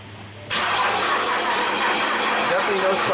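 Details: 2009 BMW 328i, crank no-start after a dealer valve cover gasket job. The starter spins the engine with a steady whirr but it never fires. No spark: the coil has power and ground, with engine speed seen, no codes and the fuel pump working.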